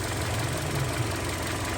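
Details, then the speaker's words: Hyundai Sonata LPI that started, ran 3 seconds and stalled, with water found inside the control unit: now a steady, low, even idle with no misses, knocks or stumbles. "так ну двигун у нас працює"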